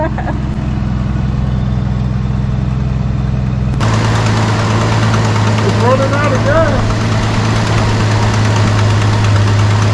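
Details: 1973 Dodge Dart Swinger, 225 slant six, barn find first start after 29 years locked up: steady, even low rumble at idle with no misses or knocks, holding a smooth beat; running healthy on fuel fed into the carburetor.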